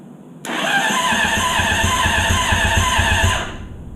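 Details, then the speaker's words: Honda CBR600RR engine in an off-road go-kart during rebuild, rewired harness with no key: shorting two starter wires, starter turns it over fine but it won't start; owner says not the starter, relay or fuses; brisk even cranking about four pulses a second, never catches. "I can short these two together and it started turns over just fine"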